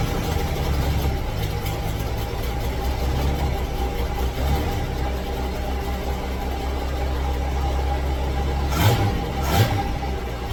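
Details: 1966 V8 ("Rita") idling very rough, stumbling, surging and missing, smoking while it stumbles after spitting, sputtering and dying on a drive; air-fuel mixture wrong, carburetor suspected; faulty carburetor causing rough-running misfire.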